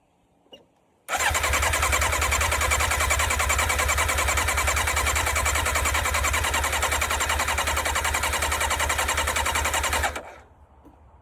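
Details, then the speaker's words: Yamaha sports bike, an auction find being revived, cranks steadily for about nine seconds at about three and a half beats per second without catching after briefly firing on full choke. The fuel knob is broken off, and the owner suspects no fuel is reaching the engine though the tank sounds full. "I wonder if we're not getting gas to it. The gas tank sounds like it's full."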